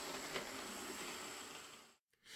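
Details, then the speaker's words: Old Lima model, reported by its owners as scraping, runs after a full service, filed gears and a replaced missing buffer: steady high-pitched whirr, no scraping or catching. Runs fine for an old Lima; a CD motor would improve it. "I gave it full service, filed the gears, and replaced the missing buffer, and uh it runs as well as any old Lima will. A CD motor would greatly improve it, of course, but otherwise it runs fine."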